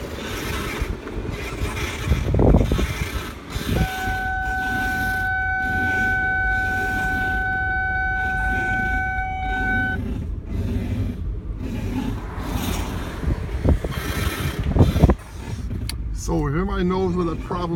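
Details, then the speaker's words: Car turning the steering wheel left or right: steady high squeal over low running noise for several seconds; cause undiagnosed. "well I'm having more car problems before I took it to a repair shop with one helped me out make a left or a right turn making this funny noise"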